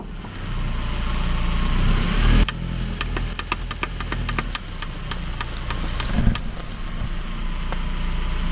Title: CV Axle Clicking And/Or Popping Noise (Just a better example of what it sounds like)